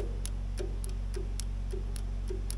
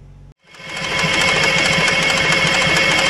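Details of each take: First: Allis Chalmers 3500A diesel military generator that sat for many years, fuel shutoff solenoid in the injection pump just rewired with a new ground: light regular clicking about three a second over a low hum, solenoid working normally. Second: Allis Chalmers 3500A military diesel generator, sitting for years, with a new fuel supply: steady cranking about four turns a second, never fires; only two cylinders got residual fuel, suspected not pumped from the new supply.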